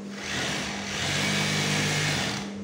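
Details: Sewing machine running with a smooth, even hum, steady low tone, no knocking or squeal, after simple maintenance: a rubber part removed and oil added so the area runs less hot and less noisy; normal running.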